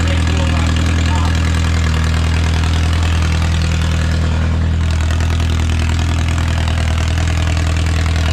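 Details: Original early-1950s engine of a Renault 4CV (car a 1952; engine failed early 1950s with cracked block, weld-repaired), reassembled and run for the first time in ~70 years, now warm: deep even low hum, steady idle, no knocks or misses, barely smoking; normal idle.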